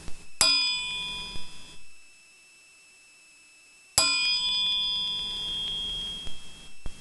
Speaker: you're gonna hear it's like a high ring it almost sounds like you know a silver coin and has that distinct clear ring